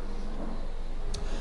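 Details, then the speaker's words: Jazzy 1450 heavy-duty front-wheel-drive power wheelchair, one month old and barely used, turning in a circle: low steady hum from its direct-drive hub motors, one per wheel, with no grinding or clicking; normal motor sound. "you can hear the motors which is normal you want that because this chair has super heavy duty Motors you can hear the humming when you're outside and you'll probably hear the humming more when you're inside the house but that's perfectly normal for this chair"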